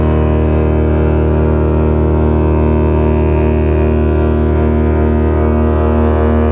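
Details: Lake freighter James R Barker arriving at Duluth at night in thick air to load iron ore: a deep, steady horn salute holds one low pitch, full and unwavering; the horn is sounding properly.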